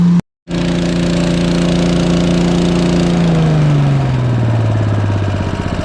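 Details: Agri Fab Mow & Vac leaf vacuum with Briggs & Stratton engine, after leak-down test and carburetor/fuel system work, hose attached: catches quickly, smooth even drone sagging slightly under vacuum load; normal running.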